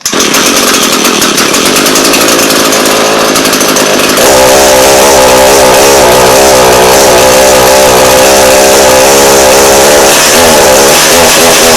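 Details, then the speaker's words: Echo PE-225 two-stroke edger, only runs on choke with little power; old fuel just replaced, running on cold start to flush bad fuel: shrill buzzy engine jumps in revs around four seconds, then rough warbling pitch. "it is on cold start because I was replacing the fuel completely"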